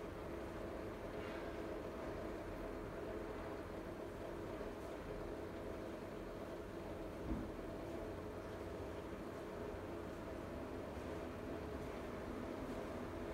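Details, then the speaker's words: Siemens iQ300 washing machine (labelled WG41A1X1TR 9 kg 1000 rpm, also described as 10 kg 1200 rpm), early phase of the 13-minute spin program; speed peaks mid-cycle. Rated 48 dB wash, 72 dB spin. Smooth, even low hum, no knocks: normal spin. "Yeni nesil çamaşır makinesinde sıkma işlemi 13 dakika sürüyor arkadaşlar. Sıkma işleminin ortalarına doğru sıkma devri en yüksek seviyeye çıkıyor."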